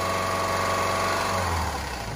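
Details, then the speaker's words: Subaru engine: revs rise and tone shifts with a diesel-like clatter that does not grow louder with speed; characteristic, normally harmless piston slap, not rod knock. "it comes down basically the Piston slab sounds like a diesel see we still hear it all right and that may scare a lot of people but 85% of these cars some cars make it louder some cars don't make it at all"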